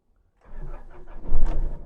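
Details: Nissan NP300 with hard starting and no tachometer reading, after replacing the crankshaft position sensor: brief crank, engine catches within a second and revs up cleanly; starts normally, tach now reads.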